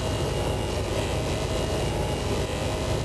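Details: Carbureted RV with rebuilt carb, idling: steady even drone, no knocks or misfires; owner notes a fuel pump sound change, pulsing, and a drip at the pump, suspecting a leaking clamp after a fuel line leak.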